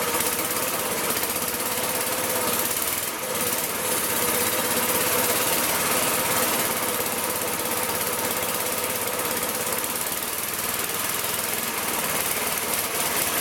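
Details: Magna air compressor with circa-1983 Briggs and Stratton engine, sat 5 years: loud lumpy pounding about three beats a second with hiss while choke and mixture are set; leaning it out ran better, then it died.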